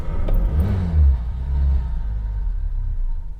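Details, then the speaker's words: Fox catches with a short flare, then settles to a slow, uneven, laboured low idle; idle speed set a touch too low. "there she is i think i need to bring the idol up a touch i think i've got the idler touch low"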